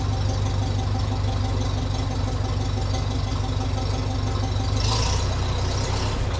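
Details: 1957 Ferguson 35 TVO tractor at slow idle after the leaking exhaust sleeve joint was tapped down to seal: a deep, even low thump with no puffing or hissing. It is more silenced with the exhaust leak gone.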